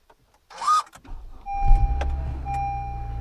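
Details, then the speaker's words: 2013 Honda Accord push-button start in sub-zero weather after sitting: a short high screech at the start of cranking, before the usual grind and crank, then a steady idle; cause unknown. "did you hear that squeak at the beginning that's what I'm talking about"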